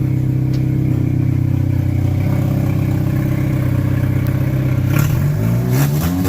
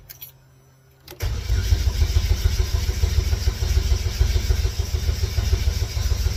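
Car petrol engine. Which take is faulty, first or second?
second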